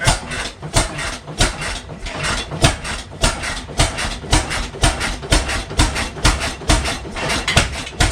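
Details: 1912 12 HP Goold Shapley Muir hit-miss gas engine, first run in about six years, just started: sharp exhaust bangs about every 0.6 s with almost no coasting; definitely running rich, firing too often, owners suspect fuel opened up or just cold.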